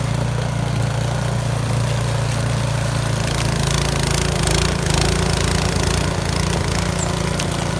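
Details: Yard Machines 22-inch snow blower after carburetor cleaning (gas left in it at least two years), choke off at full throttle on test run: steady, even drone with no surging, hunting or misses; normal running.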